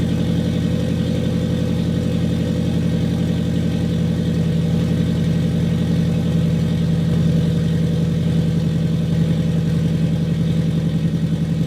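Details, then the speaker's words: Warm turbocharged FRS petrol engine, already running for a while, idling smoothly and evenly after a leaking exhaust pipe gasket was fixed, with no ticking or puffing; normal idle. "all right so we fixed a little bit of an issue that we had um fire it up again rev it up a little"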